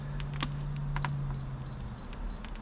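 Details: Moisture meter on a heavier split piece from the bottom of a standing-deadwood crotch: short high beeps about three a second start mid-clip over quiet background, warning of a reading near 20 percent (19.8, then 20.1).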